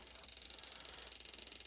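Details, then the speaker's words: Slant Fin Galaxy gas-fired steam boiler, no heat: rapid even clicking about twenty a second with no burner light-off as the spark keeps firing; failed Honeywell intermittent pilot ignition module, replaced. "It clicks. Oh, okay. So it clicks continuously, Yeah. like that."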